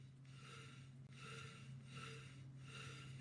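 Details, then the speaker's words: Roughly 20-year-old air compressor motor, 2.5 hp rated (about 3.5 hp at 15 A), that developed a loud squeal: turned slowly by hand it gives a dry, gritty rasp each turn over mains hum. "can't tell which end it's coming from. There shouldn't be any noise at all."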